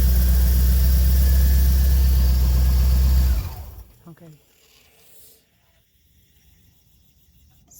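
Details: 1985 C4 Corvette with a starts-then-dies fault, after fuel pump replacement and with fuel pressure about 30 psi: engine runs smooth and even for three seconds, then shuts off cleanly. Healthy running.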